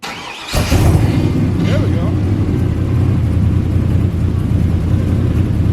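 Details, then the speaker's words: Ford F-350 ramp truck with swapped 8.1 big-block V8 on stock ECU, first start, cold; deep even rumbling idle with a short light rev settling smoothly, healthy. "he's got some rumble to it that sounds pretty damn good a little cold rub"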